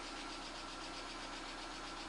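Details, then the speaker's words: VAZ 2110/2112/Priora 16-valve 124 engine, reassembled head with new seals, new oil and filter, warm at 63°C idle: fast light ticking knock from the top end persists; cause not found, camshaft wear suspected. "Так, стук и есть. Температура 63. В общем, причину не нашел."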